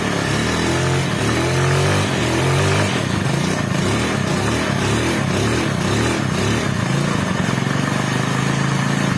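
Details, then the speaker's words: Carburetted Honda Beat scooter sputtering in ragged bursts, unable to run with the regulator/rectifier (kiprok) connected but smooth with its socket unplugged; cause traced to a loose ground cable. "Ketika kiprok dipasang, motor berbet gak bisa jalan sama sekali."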